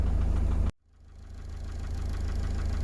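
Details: 2006 Iveco Daily 35C14 3.0 HPI F1C diesel that cranked but wouldn't start when hot, after crankshaft sensor seal repositioned: settles into steady, even idle after a short dip, no misses, no warning lights; problem fixed, normal idle.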